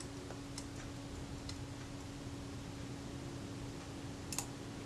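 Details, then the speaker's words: Rebuilt camera shutter after ultrasonic naphtha cleaning and graphite lubrication of the retard gear train: soft clicks over room hum, then a crisp snap as the shutter cocks just before the film advance lever ends its stroke; normal shutter cocking. "Hear that click? That was the shutter cocking."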